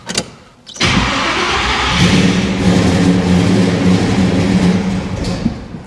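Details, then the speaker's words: Chevrolet Monte Carlo, freshly built engine: steady starter cranking with rough rumble but never catches; oil pressure present, car out of gasoline so no fuel reaching the front carburettor. "got no gas. Ah. in the car. Yeah. Yeah. I put some in there. She out. We don't got none. So, that's a bit of a failure."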